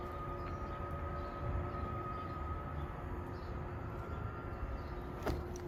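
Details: 2022 Salem 29VBUD travel trailer, power awning extending: steady, even electric hum at constant pitch with no grinding or skipping; the motor must be stopped manually at full extension; normal awning motor run.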